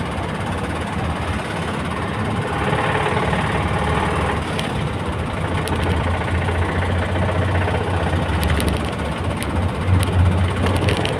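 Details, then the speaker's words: Gazelle crawling uphill at 30-40 km/h with heavy uneven internal knocking and rattling after the throttle stuck wide open and the revs spiked; temperature gauge stopped reading; engine seized 5-6 km short of town, likely needing a capital overhaul. "подъём сейчас что шёл грохот конкретный что-то кроме колено ещё что-то где-то загремела"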